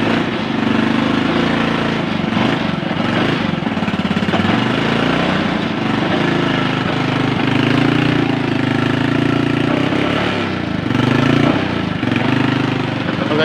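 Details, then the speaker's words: Honda Supra X 125 after replacing the CDI to cure lost ignition: the small single holds a loud, steady putter with an even beat and no misfires; engine runs fine now. "Oke guys, motornya udah hidup."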